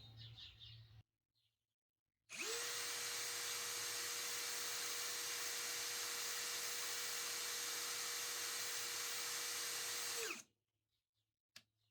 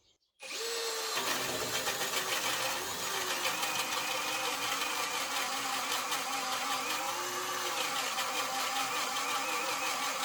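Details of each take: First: Narex CSP 12-2 Basic 20V cordless drill, 4 Ah battery, no-load noise and speed test, about 87 dB, measured 550 and 1750 rpm: clean, steady high whine for about eight seconds, then smooth wind-down; normal, low vibration. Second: Narex CSP 12-2 Basic cordless hammer drill on a full 4Ah 20V battery, boring a 65mm hole in spruce: labours with a harsh, uneven rattle and clicking over the motor whine; gear damage is suspected but not confirmed.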